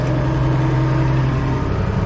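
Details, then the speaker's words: International 1586 diesel tractor with a sticking fuel check valve, after adding a diesel fuel additive, started first try, lifting implement: even diesel drone dips slightly in pitch as load comes on, no misses or knocks. Normal running under light load. "but it seems to be running pretty well and if it if that's the case it'll be the first time that I've ever uh started this up on the first try"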